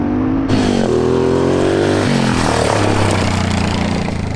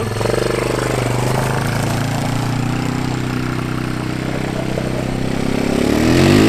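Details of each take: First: 1987 Honda Fat Cat single-cylinder trail bike, revived after at least 15 years sitting, ridden with the choke accidentally left on: uneven revs hunting between speeds with a labored tone, running rich. Fuel was also flowing from the carb overflow; a float adjustment is suspected. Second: 1987 Honda Fat Cat 200 single-cylinder trail bike, revived after sitting at least 15 years, ridden with choke off: pulls steadily through the revs with an even beat, no misfire; runs cleanly though definitely down on power.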